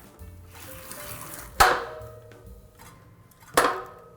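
Two sharp metallic clunks with a brief ringing tail, from a bicycle disc brake rotor working loose on its bolts.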